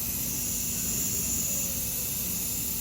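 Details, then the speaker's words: Brand-new narrow-gauge KTR 450 at factory inspection, air pressure built up: steady high-pitched hiss; air leaking at a solenoid that was not even tight and moved, to be tightened. "Sounds like it's coming from one of these solenoids. Let's see. That one's not even tight. That could be our whole problem."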